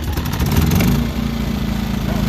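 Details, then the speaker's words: Ryobi 2300-watt portable generator in a box on a semi truck at a rest area, just started, no load: small engine catches and settles into a quiet, even putter with no misses or knocks; normal. "okay so we are now inside of the truck it has no load on it you really can't hear it I can hear it a little bit"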